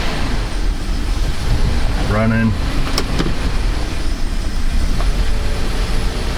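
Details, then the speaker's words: Chrysler Town & Country 4.0, hard start with a long crank, strong gas smell, flashing engine light, P0128 and evap codes: loud lumpy idle right after start-up, as if it had a bad injector; running rich from a faulty coolant temperature sensor. "it's really running like crap they're kind of smooth out it almost acts like it's got a bad injector"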